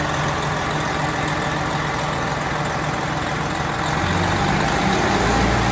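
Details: 12.7 L Detroit Series 60 diesel with PDI performance parts, first start after rebuild: deep, even idle rising slightly near the end, no knocks or misses. It ran away on first start; moisture possibly arcing harness connectors was cleaned out. Now idles normally.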